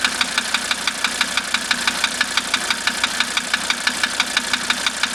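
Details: 1985 Mercedes 300D diesel idling with diesel purge running through it: sharp, even ticking about two knocks a second over steady idle; engine knock of unknown cause, owner asking for help.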